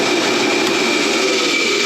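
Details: Homemade rotary phase converter from a kit, 7.5 hp idler motor on single-phase shop power, feeding a 5 hp dust collector motor: steady even hum, constant mid-pitch tone, faint high whine, no knocks or surging; runs normally.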